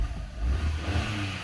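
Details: Short, clean rev rising and falling smoothly without stumbles or popping after replacing the ignition coil (parts swapped without checking codes; wiring still suspected possible); engine running evenly on all cylinders, healthy revving.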